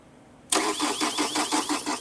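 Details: Chevrolet Cruze with no DTCs stored, crank sensor suspected: the starter cranks with an even chuffing of about six beats a second but the engine never catches. The fault was traced to a poor ground connection.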